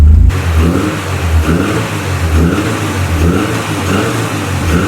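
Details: Ford Sierra Cosworth after fitting a new fuel pressure regulator, checked for leaks: fires straight up and takes several even throttle blips, pulling up and settling back without misfire; fuel delivery sounds fine.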